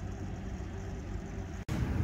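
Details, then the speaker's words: York variable-speed air handler supply vent measured about 1000 feet per minute: loud, steady rushing roar of air with a deep rumble and no rhythm. Blower speed is set too high and the vents are noisy; fan speed needs lowering. "so what I'm going to do is I'm going to check airflow because I can hear these vents I can hear it hear that they're rocking let's check this one whoo thousand feet per minute I bet all these vents are blowing that hard"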